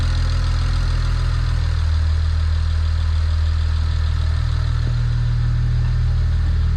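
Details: BMW 335xi N54 twin-turbo six after a Pure 600 turbo, VRSF inlet/outlet, catch can and full exhaust install, burning off residues after first start: a deep, even idle with a steady low rumble and no ticks, knocks or rattles. Normal idle.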